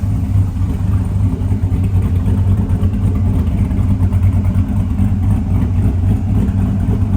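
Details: LS V8-swapped Snow Devil snowcat, running after the intake was removed, the spout resealed with RTV and the steering fixed: deep, steady V8 rumble with an even beat, no knocks or ticks; running smoothly and healthy.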